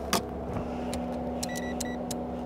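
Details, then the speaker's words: V12 BMW 7 Series that sat unused won't start: a few dry scattered starter clicks with no cranking despite a 12.7–13 V meter reading; owner wonders if starter or ignition. "okay electric wheel is that yeah we start it we're just getting clicking sounds like that hmm does that mean it might not be the battery then"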